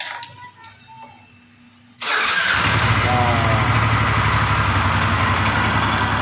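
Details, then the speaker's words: Yamaha NMAX after cleaning the starter motor and replacing its carbon brushes: starter no longer cranks slowly, engine catches at once and settles into a steady even idle; previous hard morning starting fixed. "Oke, teman-teman, di sini sudah sembuh dari permasalahannya."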